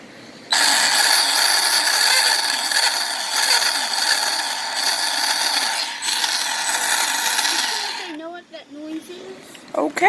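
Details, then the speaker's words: New, barely-run Arrma Big Rock Crew Cab RC truck: under power a high whine with rapid rattling clatter that stops when throttle drops; family says it's blown, ratcheting drivetrain noise, cause unclear. "It is blown, according to my family, and I mean it's new because I haven't really run it yet, but it makes this weird noise."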